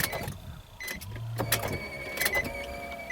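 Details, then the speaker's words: 2005 Nissan Maxima V6 with a junkyard replacement engine (from a Nissan Quest, 165,000 miles) that has a cylinder 3 misfire (P0303): key turned but only clicks, a chime and a brief faint whir, no crank, caused by a dead battery. "Let's start it up. That's a no crank, okay."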